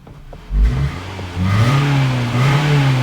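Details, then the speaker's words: 2009 Toyota Camry 2.4 L with check engine light, long crank, codes P0171 and P0101; revs bog briefly and climb hesitantly at full throttle, as if starving for fuel. "when I accelerate there's a little bit of a delay watch this I don't know if you can tell you hear that so it kind of sounds like this engine is starving from fuel when you step on the gas all the way to the floor"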